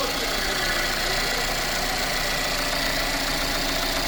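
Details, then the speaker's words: Mercedes M274 engine from Japan, about 52–53 thousand km, idling: even, steady run under a fair bit of hiss, no misses or knocks; no smoke; sounds healthy. "Двигатель работает ровно. Задымления не наблюдается."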